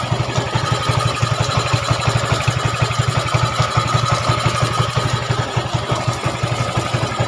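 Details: Yamaha Mio 125 scooter after top-end rebuild (new cylinder block and piston) for a rough, smoking, oil-burning engine, idling in rain: even, steady low thump with no ticks or knocks, rain hiss behind; smooth, healthy idle.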